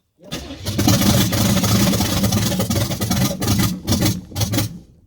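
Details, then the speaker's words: Camaro project after new harmonic balancer fitted and ignition timing reset; cranks briefly, catches cleanly and revs up and down in strong bursts with no popping back through the carb; starts and runs properly. "Now that's the kind of noises I like. Beautiful. Just beautiful."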